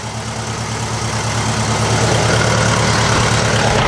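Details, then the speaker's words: 1956 VW Beetle engine at idle, timed with timing gun, 009 distributor, after fire-damaged wires repaired; shaking, lumpy uneven pulse about three times a second; misfire at idle, number 3 cylinder sparking but not firing, dead at low rpm. "This engine is still shaking, and it doesn't sound right to me. It sounds to me like it's got a miss. One of the cylinders isn't doing something right."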